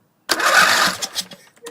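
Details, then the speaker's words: Briggs Intek engine on a racing tractor that sat unused, with a dirty carb and a mouse nest: it cranks strongly for about a second and now gets fuel, but won't fire. Carb cleaning planned; starter solenoid click not heard. "cranks real good and it's getting fuel so it is getting in fact getting fuel now it wasn't before"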